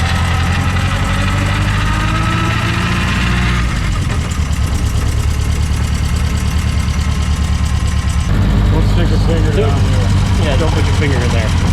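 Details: 1964 Triumph TR4 on first drive after DIY rebuild of TR3 3-synchro gearbox and overdrive, hot 95-degree day: steady low rumble rising and settling through shifts, no grinding or clunks; gearbox solid, though overdrive solenoid not engaging in third/fourth.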